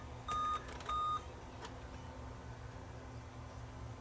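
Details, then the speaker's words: Dell laptop with HDMI, 500 GB hard drive, on a Dell power adapter, beeping at power-on and not booting; owner suspects a dead CMOS battery. Two short mid-pitched beeps in a quiet room, described as five beeps; POST beep code, no boot. "I hear it beeping doing [Music] something beeping five times I don't know what five beeps means on this"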